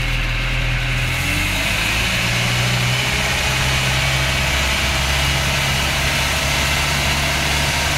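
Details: Land Rover Series engine: low shaky idle picking up briefly then sagging, never even; rough running, owner thinks water in the gas, not confirmed.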